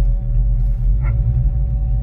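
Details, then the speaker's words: 1989 Ford Mustang GT stored for years: a steady mid-pitched hum over a deep engine rumble from a failing alternator bearing, with no charging; the engine is also misfiring. "the alternator is what's making that loud humming vibrating noise it's terrible it sounds like a barend is locked up and it's just a humming on the shaft"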